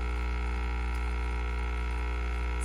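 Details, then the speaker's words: KOTLIE 3-in-1 capsule coffee maker (mini espresso machine) brewing normally: a steady, even low buzzing hum with no sputters or strain as the pump pushes water through the capsule, followed by a beep when brewing finishes. "almost done so as you can hear it beeps when it's done which is really great"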